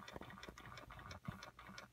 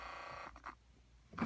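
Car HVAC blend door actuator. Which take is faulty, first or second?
first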